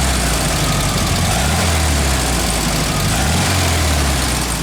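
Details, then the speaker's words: 1966 Volkswagen Beetle, 1776 engine, 34 Pict-3 carb, stock, Pertronix distributor replacing 009; steady, low, even air-cooled idle under 900 RPM with soft regular beat, no misses, idling slower than ever. "but you can hear this engine it's idling slower than it ever has"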